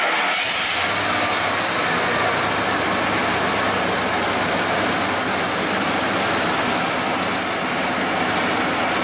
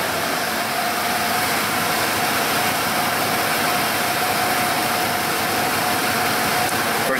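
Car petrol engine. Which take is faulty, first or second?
first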